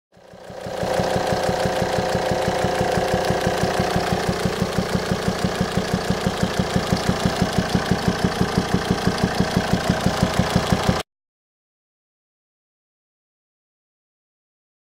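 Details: 2007 Volvo XC90 D5 diesel at idle, sharp regular popping about three per second through the intake pipe to the turbo; owner suspects faulty swirl flaps or stuck or broken intake valve, unconfirmed.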